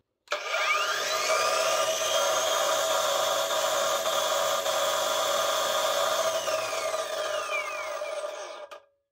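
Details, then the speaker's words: Parkside Performance PWSAP 40-Li A1 40 V cordless brushless angle grinder, no-load run: slow soft start, steady high whine with gear-mesh hum, then disc braking; the angle gearbox is slightly noisier than it should be. "Mais vous pouvez écouter une transmission angulaire légèrement plus bruyante."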